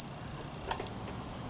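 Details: Old H/F generator with a reinstalled off switch, tested with a meter. A steady continuity buzz sounds in the off position, so the kill switch closes, though the owner suspects it is still intermittent.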